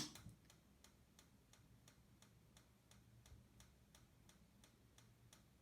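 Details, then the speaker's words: 69 Fireball camper's fridge switched to gas via the auto button: sharp, even igniter clicks about three per second from outside while it tries to light. This is normal, and the clicking stops once it lights. "then you press the auto button and it'll switch over to gas you'll hear it clicking as it's igniting outside"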